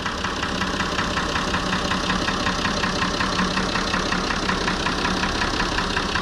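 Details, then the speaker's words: Fordson Major tractor with a Perkins straight-six diesel at idle: an even, steady diesel clatter at about 160 beats a minute with no misses or knocks; a healthy, smooth idle. "But you guys hear how nice it idles and how it is. It's just awesome. So smooth."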